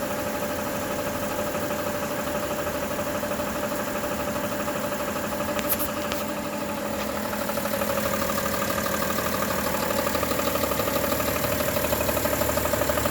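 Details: 2011 BMW 335d diesel idling with steady, fast ticking over the clatter; bad harmonic balancer (crankshaft damper) suspected, not confirmed; suspected harmonic balancer ticking.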